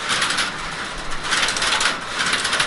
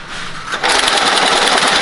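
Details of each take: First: Working crossbar telephone exchange at Seattle's Connections Museum: rapid, dry metallic clatter of many small relays snapping in bursts as a call connects. Normal crossbar switch operation, faster than the older panel system. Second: Telephone exchange trouble recorder at Seattle's Connections Museum, with a failure simulated: after a quiet moment, fast, dense mechanical chatter starts and holds steady as it prints a physical fault record.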